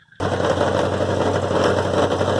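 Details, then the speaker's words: 1974 Dodge Power Wagon at idle: fast, buzzy metallic rattle from a worn-out muffler. The rattle stops when the back of the muffler is squeezed, so the muffler is to be replaced. "Start it up and you'll hear. You can hear that rattle in the exhaust. A loud exhaust is fine, but that's just ridiculous."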